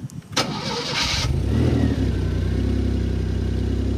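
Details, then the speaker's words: Maserati Biturbo 4.24v V6 after renovation: brief starter whir, then it catches and settles into a steady, even, deep idle; owner of a similar car says it sounds the same, and idle sounds OK. "yeah well mine makes the exact same sound a little less loud but it's exactly the same it makes a nice noise when idling yes that's what I told you: at idle it sounds ok"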